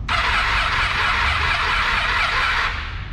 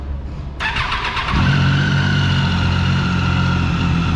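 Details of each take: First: Motorcycle at 53,000 km that died while riding, fully charged battery: starter whirs steadily but cranking is heavy and uneven from lost compression, suspected heavy carbon on the valve seats. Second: Daytona motorcycle cold start after the problem was traced to spark plugs with mismatched resistance; catches within a second, steady idle, clean pickup on blips: healthy cold start.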